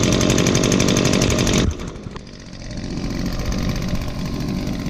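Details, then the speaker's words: Echo handheld leaf blower, almost nine years old and used recently, started on choke with primes: loud, even two-stroke buzz at full throttle, then drops cleanly to a steady, smooth idle without stumbling; normal start and run. "just as I predicted started right up just because it was just used recently definitely a good blower"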